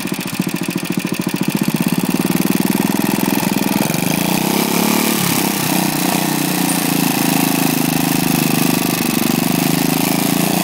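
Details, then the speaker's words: Lifan single-cylinder engine after big-end seizure from low oil, crank journal and rod cap smoothed with emery cloth and reassembled: catches and settles into an even, rapid putter with no knocking or banging; normal running after repair. "so they've heard is there she hasn't suffered any major effects there is just small problems they were tuning and stuff like that but no knocking you're banging your noises out of her"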